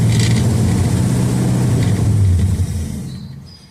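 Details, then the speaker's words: 1969 Dodge Dart left six months on old 10% ethanol gas, carb bowl gravity-fed: steady cranking around four beats a second with brief catches but no sustained run; bowl has fuel that isn't drawn down, owner suspects a sludged carburetor. "So there is fuel in the bowl, but for whatever reason it's not taking it down."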